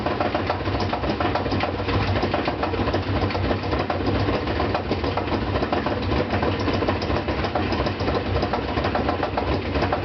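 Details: Brand-new GE washer (Sep 2012) spinning a load of 2 blankets, fine during wash and rinse and silent when empty: a fast continuous rattling knock through the whole spin as loose counterweight bolts let the concrete block bang.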